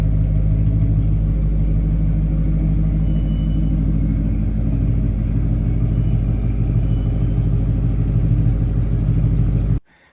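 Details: 1988 Porsche 928 S4 V8 with a rear muffler bypass and new tires. It idles with a deep, steady burble at about three pulses a second: healthy engine.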